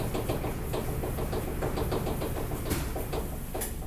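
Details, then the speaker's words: LG front-load dryer DLE1101W after drum wheel replacement, running empty on air dry: uneven knock about twice a second over low rumble persists; drive motor suspected. "it's got to be something in the motor at this point in time"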